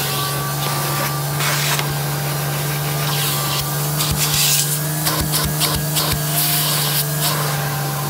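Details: Electrolux 612E (600 series) upright vacuum, owned about two years, running on deep hallway carpet with a newly fitted Qualtex replacement brushroll: steady motor hum, even brushroll whir and carpet rustle, no rattles or labouring; normal brushroll operation.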